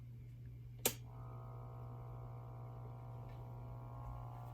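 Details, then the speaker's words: 1929 RCA Radiola 33 (tubes dated 1947) with a suspected shorted power transformer, powered with the light-bulb limiter bypassed: a steady, loud low mains hum from the speaker at constant pitch, though the set is working. Cause not confirmed. "I'm getting loud hum out of the speaker"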